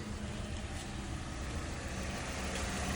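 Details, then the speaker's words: 2014 Toyota Corolla LE with a no-crank no-start from a stuck starter solenoid, started after hitting the starter with a hammer (temporary fix, starter needs replacing): quiet, even idle with a low steady hum, no knocks or grinding; normal. "Look at that, baby. Like magic. We got a running engine."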